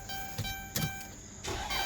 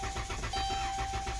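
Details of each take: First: Van towed in as a no-start with a new starter already fitted: brief cranking catches into a steady, even idle once the fuel pump circuit is fed 12 volts; the diagnosis is an internal TIPM fault, and the engine now starts and runs normally. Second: Towed-in no-start car with TIPM and a newly replaced starter, battery at 2.4 V and jumped: steady starter churn with even compression pulses but never catches; cranks but won't start.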